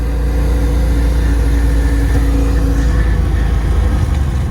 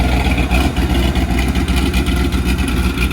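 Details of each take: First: 1994 LT1 Corvette after an engine rebuild, ZF manual with a single-mass billet flywheel and unsprung clutch, driving in second gear with the shifter boot open. Steady engine drone, faint gear hum, no grinding or clunks; the transmission rumble is gone, normal running. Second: 1994 Corvette LT1 after an engine rebuild, with a ZF manual gearbox, single-mass flywheel and unsprung clutch, idling in neutral: light, uneven gear clatter from the transmission; expected gear rattle from this setup, which the owner accepts.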